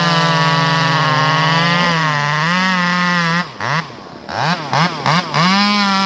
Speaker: you see and hear that chatter it Chatters it's not as smooth as still is right out of the box